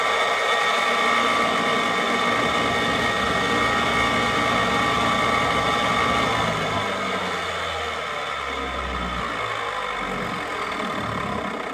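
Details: Rebuilt hardwood floor edge sander's motor, wires zip-tied clear of the armature, gives a steady, even drone with no rattle or knocking, easing slightly in level partway; normal running.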